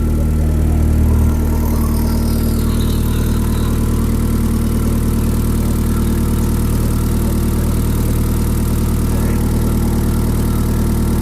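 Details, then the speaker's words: YB Cosworth turbo-powered Mk1 Ford Escort, first run in 5 weeks after fuel leak repair: steady, even idle at about 1,000 rpm, oil still cold, constant fuel pressure, no boost, smooth low hum with no misses or knocks; no leaks. "Okay, that sounds pretty sweet. And I've got no leaks."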